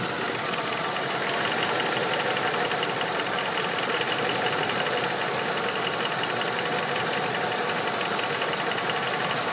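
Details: Ford 5.0 Windsor V8 at idle: steady, fast, even ticking-knock over a busy idle with no change in speed; knock of unknown cause.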